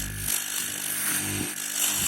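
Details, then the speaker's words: Charles Austen ET100 air pump from a WPL Diamond treatment plant, running outdoors after service-kit replacement: a steady, even buzz holding a constant note with no knocking or rattle; good pressure, running smoothly. "There you go. So the air pump running. Good pressure there."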